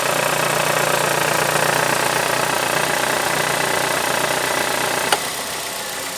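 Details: 2010 Ford Galaxy idling with the AC switched on: harsh whirring drone from the AC compressor over the engine that drops away after a click; abnormal compressor noise, cause unknown.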